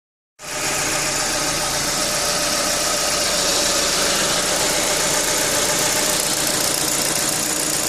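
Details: Abnormal engine noise of unknown cause: loud steady running with a quick, fairly even tapping of about four beats a second buried in a hissy roar.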